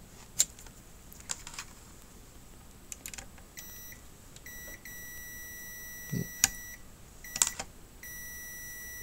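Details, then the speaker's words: Sony XBR 65X850E TV that won't power on and emits high-pitched buzzing: multimeter continuity beep holds steady on two diodes on the power board, showing shorts; diodes replaced. "so whilst doing some tests I found out that I found that this two diodes are basically giving me some form of a shot"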